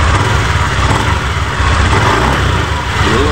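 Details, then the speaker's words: Honda Beat FI v2 scooter CVT (panggilid) after repair: new center bearing fitted on the drive side after the old bearing failed following a long trip; smooth even hum, the earlier ticking and grinding gone, belt side quiet and healthy. "wala na Ganda Naikot wala na yung M paltik paltik dito yung akala mo yung ano gumagaralgal"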